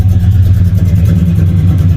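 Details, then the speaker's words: Cammed Ford EL Fairmont Ghia 4.0L on a J3 chip during base idle tuning, cold start without the idle packer: deep, lumpy idle, slightly low, with a soft putting exhaust pulse and fuel smell, running rich. "can hear it putting a bit so it is running rich and definitely smell the fuel so there's a lot more fuel I can pull out of this at the moment"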